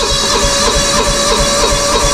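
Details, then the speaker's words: Old John Deere 240 lawn tractor with snowblower, cold start in snow: starter churns about three beats a second without firing; known hard cold starter, owner suspects a fuel issue, slow getting fuel before it catches. "And yeah, if you've seen any of my videos, you know this lawnmower does not like to start when it's cold. I don't know why. It just never has, that one. It does not like to start when it is cold."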